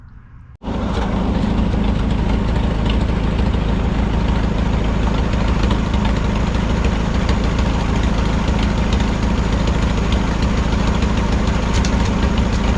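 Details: 1951 Farmall M tractor idling while warming up after new points and rebuilt carburetor apparently fixed hesitation and sputter: rough idle with loose irregular knock about three per second, new and intermittent, source unclear, not exhaust pipe or rain flapper; oil change planned.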